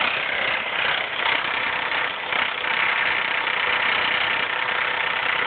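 Dense, fast metallic rattle over a steady idle with no clear beat; it sounds like chain clatter, though the cause isn't pinned down. Cause suspected, not confirmed.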